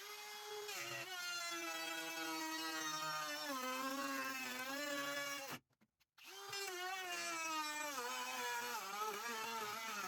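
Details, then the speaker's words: Small-battery cordless trim router rabbeting a wall art frame. The motor whine drops in pitch and labours as the bit digs in, then recovers, because the cut was too deep; a shallower cut is recommended. Router bogging under load. "little trim router has a small battery so you could hear it bogging down I probably should have taken a less deep or a more shallow cut"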